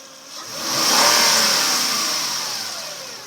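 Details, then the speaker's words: 2005 Acura RL, revved and returning to idle: a thin whine that lingers as revs drop to idle and rises in pitch at higher rpm. It is loudest near the alternator, which the owner suspects but has not confirmed. "That last noise before it hits idle is really where most of it is coming, and I'm suspecting it is the alternator."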